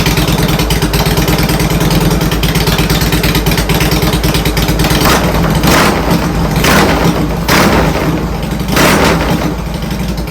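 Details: Harley-Davidson Twin Cam just after installing Accel coil-on-plug coils replacing the stock coil and plug wires: loud, steady V-twin lope fires straight away and settles into an even idle with throttle blips; runs well.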